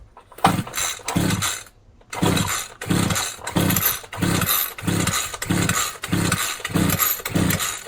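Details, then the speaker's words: Champion 23cc string trimmer with no choke: ten or so quick recoil pulls, each a whirring burst with no firing. Cranks but gets no fuel, so it won't start. "So, even if we try to start it, it'll never start because it can't get fuel in."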